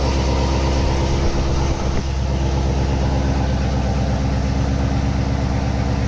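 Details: C7 Corvette V8 just after installing an MSD intake manifold, before tuning; deep, steady burble holding an even idle with no misses, ticks or knocks; engine running smooth and healthy.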